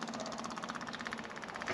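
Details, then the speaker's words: Takeuchi excavator with 5,755 hours, a substitute electric fuel pump wired in to fill the fuel system before cranking: fast, even ticking buzz of about thirteen pulses a second; electric fuel pump running normally. "okay it's filling that up"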